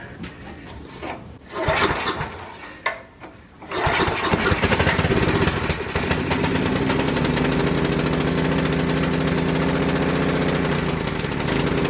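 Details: Coleman Powermate 6250 generator, Tecumseh 10 hp, curb-find no-start, on full choke, fuel on: a couple of pull-start attempts, then catches and settles into a steady even governed run, no misfiring; normal start and idle.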